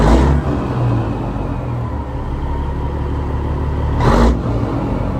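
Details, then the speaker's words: Old 379 10-wheel dump truck, Cat engine (owner believes a 3406A): deep steady diesel rumble at idle with an even beat and a brief noise burst near the end, healthy sound, normal idle. "It's a good looking, it's a good sound. So it's got a cat motor in it."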